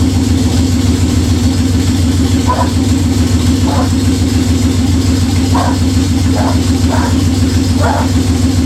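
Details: Budget Beater Chevelle, just revived, distributor re-timed. A high, steady idle with occasional small pops refuses to settle. Fast idle; the owner suspects the old fuel, unconfirmed.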